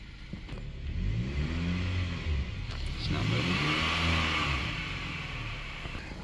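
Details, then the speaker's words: 2017 GMC Canyon/Chevrolet Colorado 4-cylinder automatic, no transmission codes: engine revs climb and fall freely, vehicle won't move in drive or reverse even after transmission reset; transmission slipping. "after resetting everything can't seem to get this thing to move at all"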